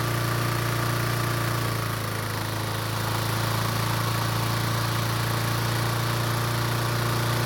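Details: Toro commercial mower that wouldn't start without gas poured into the carb, after fixing the choke flap and reopening a fuel shutoff valve that had closed. Smooth, steady idle with an even low drone and no misses or surging: normal running.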